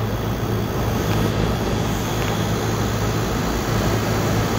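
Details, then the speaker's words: Dual-stage package unit (restaurant) scroll compressor running in reverse: loud, steady, rough drone with heavy low rumble and no cycling; it sounds like it runs but pumps no refrigerant. Second time this fault has been seen. "the system, when it's kicked on, the compressor sounds like it's running, but it's not. It's just making noises, but it's not pumping freon."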